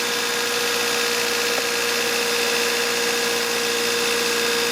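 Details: 1993 Honda Civic after replacing a faulty distributor ignition coil with an aftermarket one: steady, even idle with a smooth constant hum, no misses or stumbles; crank-no-start fixed, runs normally.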